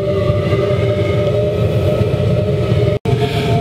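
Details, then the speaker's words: Waste-oil vaporising burner in a metal drum shed heater at low power, blower air intake blocked off, putting out strong heat; steady soft roar with faint even hum, very quiet, no surging or popping: normal running. "even though it's kicking out the heat the thing is still very quiet if this was in a garage or Workshop you'd barely hear it"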